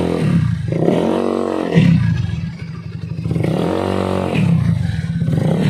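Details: Honda Beat carburetor scooter after fixing rattling CVT noise on throttle opening by refitting CVT cover support boss: revs rise and fall smoothly, no rattle or judder under throttle; belt drive quiet and healthy.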